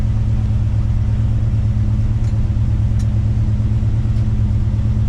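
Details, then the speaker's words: 1975 Chevy C10 454 big-block V8 after a carburetor cleaning with the jets cleared: deep, even, steady idle with no misses, knocks or hunting, 63 psi seen on the gauge; normal smooth idle. "It is purring. Dude, I just saw 63 PSI, but listen to this thing, watch."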